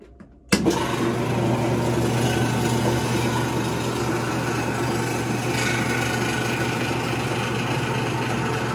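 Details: Maytag washing machine running: loud steady motor drone with a constant low hum and faint thin whine; a noisy washer squeal, cause not confirmed in this clip.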